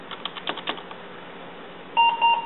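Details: Desktop with Pentium 3 Coppermine 733 MHz at power-on: keyboard clicks, then two short, clear mid-pitch beeps, the POST warning that CMOS settings are wrong, prompting F1 to run setup.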